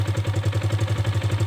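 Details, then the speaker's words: 2021 Kawasaki KLX 150 G single-cylinder, carburetor idle adjuster turned clockwise: brisk steady idle around eleven firing pulses a second, idle speed raised; turning it counterclockwise lowers idle again. "ini untuk merendahkan lagi kita putar kekiri yang berlawanan arah jarum jam ini mesin stasioner akan kembali rendah"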